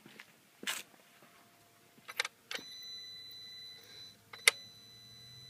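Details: 2013 VW GTI MKVI with ignition off: a few sharp clicks, a high beep, then a faint low buzz/hum underneath; the cause is unclear and the owner asks whether it is a concern.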